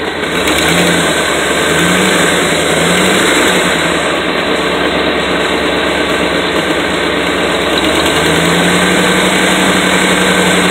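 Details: Idle and revs with a harsh, hissy puffing rising with engine speed; suspected exhaust leak, not confirmed. Engine warming with good oil pressure, though not charging (owner suspects something unhooked).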